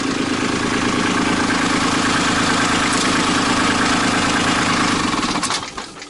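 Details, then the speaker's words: Kubota B2650 diesel tractor, 100-hour service safety check, low rpm, PTO engaged with no implement, operator off the seat: steady idle runs about five seconds before stumbling and dying; seat-switch cutout reacts late. "Alright. It's not as sensitive as it should be. I don't know if there's an adjustment for that."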